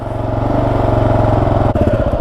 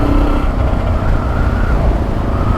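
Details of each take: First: Freshly completed Kawasaki KLR 650 single, just started after a small backfire, warming up: steady even thumping settling into idle, no knocks or misses; normal warm-up idle. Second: Kawasaki KLR 650 single riding under throttle: thumping engine with loose buzzing rattle riding on the beat, busier with revs; sump guard rattling.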